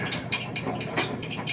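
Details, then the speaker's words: Old Kenmore Series 70 clothes dryer running: rapid bird-like chirping squeaks over the tumble, because the pin spins instead of the roller spinning on the pin. "now as you could clearly see the pin is spinning the roller should be spinning on the pin that's what's creating the squeak"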